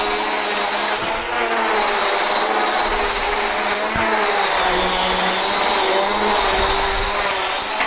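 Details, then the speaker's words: Deluxe central vac after replacing the failed handle switch assembly (high voltage, suction or beater bar wouldn't come on): steady even motor roar with high whistle and suction rush picking up stones and debris; running normally, fixed. "perfect. Perfect. You can hear the vacuum working. No dust was coming out."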